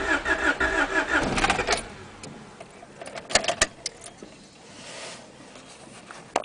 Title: teine käivitus, crank but no start